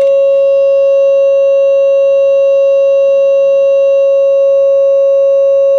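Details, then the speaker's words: Realtone Globepacer 11-band transistor radio audio amplifier after output bias adjustment, about 40 with 1000 ohms: clean steady ~600 Hz test tone with faint overtones; least distortion, more bias needed as volume rises. "that's least distortion so as the volume goes up it wants more bias seems like as a compromise about 40 is the best with a thousand ohms"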